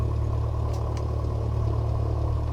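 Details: Freshly rebuilt aircraft engine at first start, held at 1,000 rpm, fuel pressure reading near zero: steady, even low drone with no misses or knocks; normal idle.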